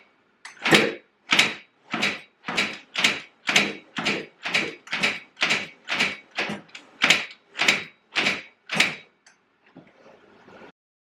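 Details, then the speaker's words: Yamaha Banshee 350cc two-stroke twin, rebuild project, in neutral, trying a fix for weak spark: about fifteen kick strokes with no firing, then the kickstarter jams. Owner wonders if it seized; unconfirmed. "oh I don't know if I got seized already or what the hell happened here"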